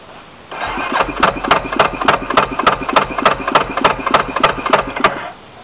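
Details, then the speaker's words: Yamaha YFM350 Warrior ATV just after rebuild, first start, idled up: single cylinder catches into a sharp, loud popping beat about three per second; an exhaust hole is suspected; irregular popping exhaust note at idle. "there it is that doesn't sound good what the hell happened I get a hole in my exhaust or"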